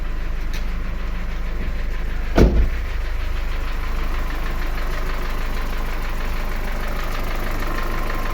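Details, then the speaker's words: Engine with hydraulic lifter knock, loud when cold and faint when hot, restarted cooled to about 30-40 °C after lifter cleaning: fairly smooth idle with faint quick tick at engine speed, possibly one lifter still needing replacement. "Значит, какой-то стук ещё остался небольшой. Ну, походу, какой-то один надо будет менять."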